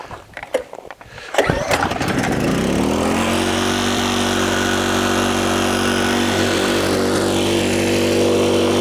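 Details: Powersmart 4400 watt open frame inverter generator, very first start, no primer bulb: a couple of rattly pull-start sounds, then engine catches and settles into smooth, even, steady hum. Normal start.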